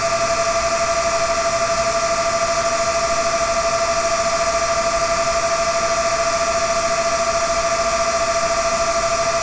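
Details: Dell CS24-SC 1U server (dual Xeon L5420, two of four 40mm San Ace fans removed) under Prime95 full load: small fans spin up to a steady high-pitched whine over rushing air as CPUs heat; normal cooling.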